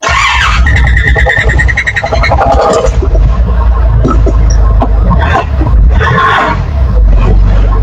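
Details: Nissan Patrol 4x4 2D30 3.0L diesel, cold, first start after top overhaul (previous shop's bad valve setting caused misfire and valve leaks), cranks briefly, catches quickly and settles into a steady, even low rumble with normal clatter.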